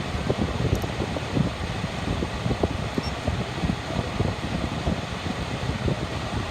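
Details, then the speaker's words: 2016 Ford Taurus Police Interceptor with front-end collision damage, 59,296 miles, 7,957 engine hours, check engine light on: steady soft whoosh of AC blower with low even engine rumble, no rattles or squeals; AC blowing cold, motor idles smooth and revs well. "Motor sounds good, it revs up nice. AC is blowing cold."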